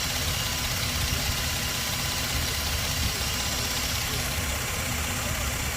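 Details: Toyota Land Cruiser V6, after a crank-no-start fuel pump relay problem: steady, even idle with constant low rumble, no misfire or surging; runs smoothly.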